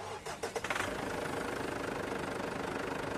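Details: Ford Everest diesel that would not start: after fixing the battery terminal and starter, a few quick cranking pulses, then it catches and settles into a steady, even idle.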